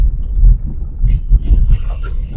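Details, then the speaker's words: 1975 VW Passat B1, stored in garage for years, driving over gravel: only a low even road rumble with no rattles or knocks; suspension sounds tight, normal. "Evo, pasa preko Makadama, apsolutno se nije živo neče ljudi."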